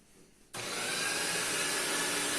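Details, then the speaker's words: Paper shredder with paper jammed in cutter head, run forward with paper inserted; motor starts into loud rough hissing grind that steadies as stuck paper is ground finer until cutters free up. "And let it run. And then you'll hear that it frees up."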